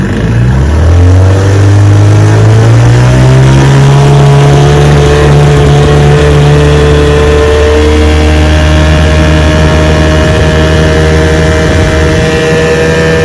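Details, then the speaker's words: 1971 Johnson 6 hp outboard after light restoration, on-water test run pushing a 40-foot boat about 10 mph; steady buzzing drone climbs smoothly as throttle opens then holds an even cruise note, running strong. "1971 6 horsepower just runs straight pushes my 40-foot feather crop about 10 miles an hour pretty awesome"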